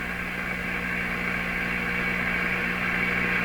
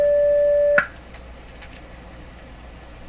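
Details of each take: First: General Electric C600 tube radio during replacement of old wax audio capacitors, powered through a dim-bulb tester: a steady low droning mains hum with hissy background through the speaker; owner believes a part acting as an antenna in the audio circuit picks up hum. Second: General Electric C600 radio after its old wax audio capacitors were replaced, powered through dim bulbs: a steady, pure test tone plays with no hum or buzz, then cuts off. The audio amplifier stage is clean.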